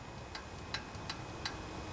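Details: Honda GC160 5 hp engine (junkyard pressure washer) turned slowly by pull rope, engine stopped: four sharp, evenly spaced metallic ticks from the noisy exhaust valve, excessive valve clearance before adjustment.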